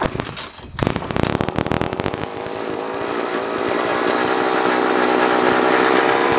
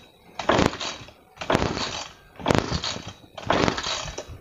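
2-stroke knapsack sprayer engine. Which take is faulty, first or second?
second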